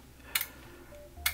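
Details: Relay-driven Vegas-style lamp sign (555 timer, CD4017 counter, transistors, 6-volt lamps) powered at about 8 volts: crisp double relay clicks about a second apart, stepping cleanly; relays clicking normally.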